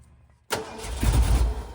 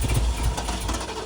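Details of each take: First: 1979 Ford Bronco after sitting long, fuel line blown clear: two bursts of starter cranking with no catch; no gas reaching the filter housing, crank no start from no fuel delivery. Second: 1979 Ford Bronco V8 after long sitting, cranked until fuel reached the filter: catches and settles into a deep, steady low idle rumble, no misses or knocks. Normal idle.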